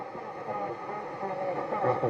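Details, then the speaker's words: Sony CRF-5090 Earth Orbiter receiver, bought as a non-worker and never serviced, on the FM band: voices and music smear together with no clean station, just a jumbled mess. Garbled, very distorted reception; the cause is unknown, and a recap is suggested. "That doesn't sound good. That sounds like all the stations are... That sounds like all the stations are garbled in together."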